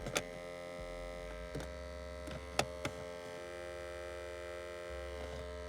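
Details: Toyota Altezza / Lexus IS300: sharp, irregular clicks over a steady electrical hum from behind the dash, traced to an A/C servo (blend door actuator).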